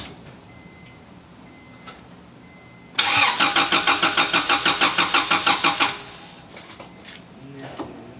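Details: Acura Integra with a worn-out engine, jump-boxed with a brand-new distributor fitted because the distributor is suspected: brisk, even cranking about three beats a second for three seconds, no catch or firing; crank, no start.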